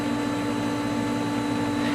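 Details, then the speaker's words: Pool pump running after backwashing and rewiring: steady motor hum with a light, even buzz; the earlier horrible vibration noise remains but is very light, goes away when lifting the pump inlet, cause unclear. "you'll also notice that that horrible vibration noise that the pump had been making it's still there but it's very light"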